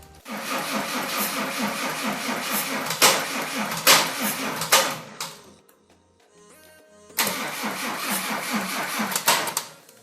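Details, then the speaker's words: Mercedes W124 with a turbo OM606 five-cylinder diesel on its first startup attempt, with no coolant hooked up and fuel only up to the pump: a sluggish, labouring starter churn in two long bursts that never catches. The undersized, weak batteries cannot spin the engine fast enough to start. "okay all right so right now our problem is that we don't have any good batteries so that one is of a much smaller size that it's needed and uh both of our batteries are not dead right now so we can only crank it"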